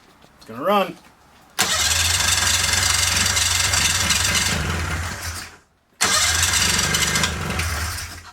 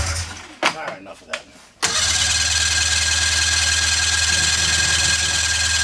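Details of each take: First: 1997 Polaris Indy Classic two-stroke barn-find snowmobile, revived with new hoses and fresh gas with oil mixed thick: pull-start, then it catches and runs with a raspy, steady crackle through several bursts and keeps running fine. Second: 1997 Polaris Indy Classic snowmobile, barn find with new hoses and new gas: starter spins engine at steady whirr about four pulses a second, never catches; no fuel getting through.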